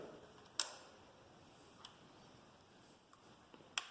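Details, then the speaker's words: Taotao TBR7 250 after cutting out the turn signal beeper speaker: sharp dry clicks roughly every second and a quarter in a quiet room, no beep; flasher cycling normally, lights working. "We'll see if it keeps on working. And there you go. Works perfect."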